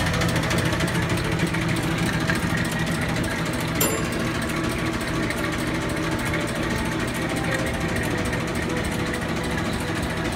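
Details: Bowser Century clockface gas pump pumping antifreeze through nozzle into filler pipe to bottom tank: steady, even motor whir with light mechanical patter, no knocks or grinding; running healthy.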